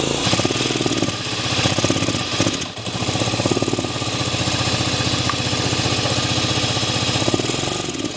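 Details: 1998 Aprilia Leonardo 125 scooter, left outside for a long time, carburetor just cleaned: stumbles and surges unevenly as the throttle opens, never pulling clean; the carb jet is still dirty and starving it of fuel, and a faulty membrane is also suspected.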